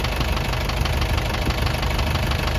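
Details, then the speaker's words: Isuzu 4BE1 diesel idling after all injectors were pulled and replaced, which cured its shaking; it runs steadily without vibration, but a light, regular tapping rides over the rumble, cause not yet found and next to be solved. "Ngayon yung problema mga kayabe, yung tunog na yan, yun ang susunod natin isusolve."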